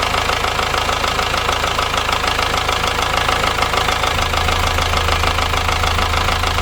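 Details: Ford Transit Mk7 diesel van bought as spares or repairs, knocking engine, rocker cover off: rapid even ticking knock about three per second over loud idle from the top end; a bent valvetrain part found, cam suspected.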